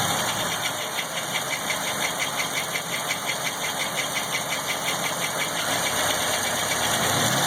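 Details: LT1 V8 at idle and during a couple of small revs: a regular knock, roughly three per second, pulses through the engine note; source not identified.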